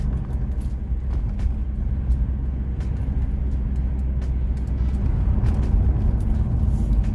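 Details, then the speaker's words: Lexus LS400 V8 with rear-mount turbo, cruising on a dual carriageway under light boost (about 3 psi at the manifold, 4 psi at the turbo): deep, even rumble pulling steadily, smooth and healthy. "it sounds bloody beautiful [Music] rather a demamp so 3 3 psi what a glorious sound"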